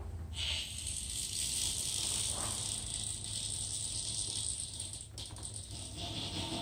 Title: Rear wheel noise after bearing change.